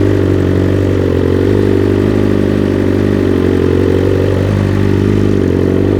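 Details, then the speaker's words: 2021 BMW S 1000 RR fitted with Akrapovic titanium headers and SC Project carbon canister, untuned: steady even idle, firm low drone, crisp exhaust note, no knocks or misses; normal healthy idle. "behaves itself pretty well actually yeah without a tune yeah sounds good yes it does"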